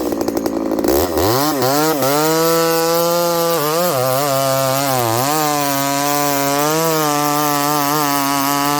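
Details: Ported Homelite 922 chainsaw after clutch and fuel line repair and cooler heat-range plug, cutting very hard wood: clean two-stroke howl holding steady pitch, dipping slightly under load and recovering; normal running under cutting load.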